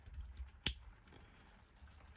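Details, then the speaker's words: Vintage Sturmey Archer hub gear shifter in better condition: two crisp, clean clicks about a second and a half apart, each snapping firmly into gear with less play; working properly. "It's a lot better. It's a lot less play as well. You can feel it snap into gear."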